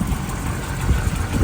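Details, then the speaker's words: 1990 Honda CRX HF with a tired engine, jump-started; rough, uneven idle with irregular low thumps and stumbles as a cylinder drops out, misfiring at idle. Cause not confirmed. "all right give it a second here it Miss firing hear it missing"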